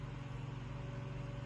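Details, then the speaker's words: Room Essentials Velocity F-0411 four-inch single-speed desk fan at switch-on: spins up quickly into a soft, steady hum with a gentle even pulse and no rattle or wobble, typical fan noise, normal running. "turn it on it gets right up and goes it's got some zoom to it makes a typical fan noise"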